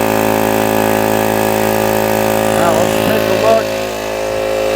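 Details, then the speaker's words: 125 psi, 2.5 hp, 21-gallon air compressor, previously not building past 40 psi, air cleaner missing so intake hole covered by hand to start: half-starts, then steady even motor drone and smooth pump beat, no knocking; pumping normally. "see how it kind of half starts so if you put your hand over here there we"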